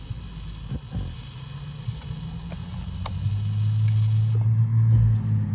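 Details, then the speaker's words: 2006–2013 Chevrolet Impala, new driver-side blend door actuator with blower on: steady low blower hum builds as actuator drives to position and settles; normal blend door actuator calibration. "There we go, calibrated back to the old one where the positioning was on the old one there."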